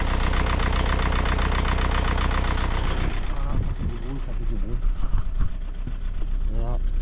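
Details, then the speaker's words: Audi A3 TDI 130 with engine vibration that won't start first try in the morning: loud, harsh diesel clatter with a fast uneven rattle and vibration at idle. A faulty injector is suspected (99% sure), not confirmed. "moi je pense plus c'est un injecteur vu le bruit les vibrations et tout ça l'Axel et tout ça c'est je peux dire 99%injecteur"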